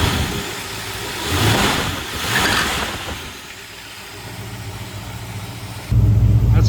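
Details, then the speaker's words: 1968 Ford Ranchero 289 V8, nearly 60 years old, just started on choke and warming: two throttle blips rise from a deep, even burble with no misses or knocks through the dual exhaust (owner believes it's a Borla system); healthy V8 exhaust note. "what the exhaust sounds like on it. Dual exhaust Borless system, I believe. Sounds pretty good."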